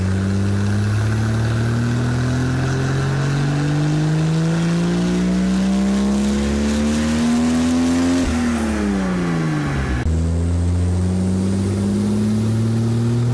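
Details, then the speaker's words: Toyota Supra MK4 LHD, original 2JZ-GTE twin turbo, on dyno: engine pulls hard, pitch climbing to 5000 rpm at 1.2 bar boost, injectors at 100% opening, knocking combustion then lift-off; injectors need replacing. "by 5000 rpm and 1,2 bar you have 100% opening and we have fu*cking knocking combustion"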